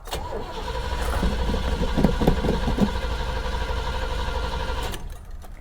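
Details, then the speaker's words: Copart salvage-auction car cranking on the starter without starting, likely because the fuel gauge reads below empty: an even, steady crank at about four beats per second. It sounds healthy, with good, balanced compression. "she cranks well that's healthy that sounds really healthy sounds like it's got good compression"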